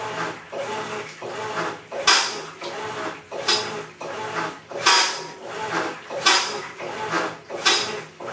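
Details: Maytag Centennial Commercial Technology washer, about 14 months old, just past one-year warranty, overloaded for demo: harsh rasping grind like a cement mixer churning gravel rises and falls with each agitation stroke, about forty a minute, during wash agitation.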